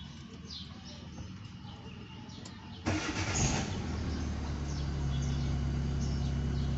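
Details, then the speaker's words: Engine restarted after reinstalling the unplugged crankshaft position sensor: cranks briefly, catches near three seconds and settles into a steady, even idle with no misses; a loose or damaged crank sensor causes no-start, now running normally. "Como vemos que el motor está funcionando"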